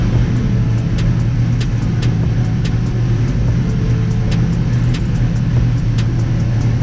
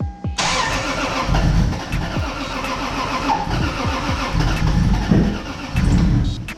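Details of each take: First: Toyota Supra MK4 700HP build with BC 272 camshafts, ProEFI standalone ECU, first start: deep, steady idle with uneven loping beat, the normal lope of big-duration cams in a healthy engine. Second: Toyota Supra MK4 700HP build, ProEFI standalone ECU, first start attempts: starter cranks at steady beat but engine never catches; no fuel pressure while cranking, base ignition timing also suspected.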